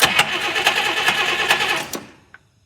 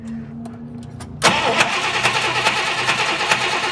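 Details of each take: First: 1959 Buick with messy wiring, two coils and two switches, with fuel present: the starter churns evenly at about two turns a second but the engine never catches; extremely weak spark while cranking, no start. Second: 1959 Buick with two ignition coils and aftermarket toggle switches, previously cranking with no start due to very weak spark. After the switches are flipped to a different coil, a quiet hiss gives way to an engine that catches at once and idles steadily.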